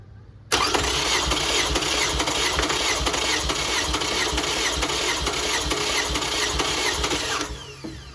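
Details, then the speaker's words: 2005 Toyota Camry LE 2.4 2AZ-FE, oil burning, compression test on cylinder 1 with EFI relay pulled, plugs out, throttle wide open: fast, even whirring crank; cylinder 1 reads about 150-160 psi, which the owner considers not good. "And I'm going to grab my keys, hold it wide open, and crank it."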